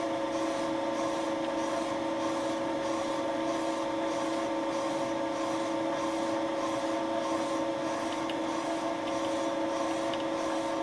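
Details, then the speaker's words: Wohlhaupter UPA5 head on a Thiel Duplex 158 mill, fixed diameter, quill auto feed 0.12 mm/rev, very light cuts boring out a molten plastic lawn mower bearing seat for a larger bearing: steady drone, light even rasp, no chatter; normal boring cut. "the head was set to a fixed diameter and the tool advanced with the auto feed of the quill (0.12 mm/rev 5 thou/rev) I took very light cuts"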